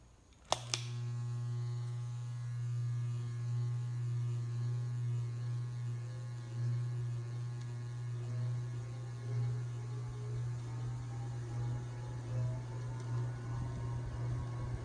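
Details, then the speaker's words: Restored early-mid '70s Hunter Original 22206 ceiling fan, 2-speed 1.9 A shaded-pole motor, first run after full teardown, cleaning and repaint, camera on top of motor housing: steady low hum with faint whine; runs smoothly and healthy. "I'm going to put these camera on the top of the motor housing so you can watch those things spin up from the inside you can hear just a little bit of that wine we go"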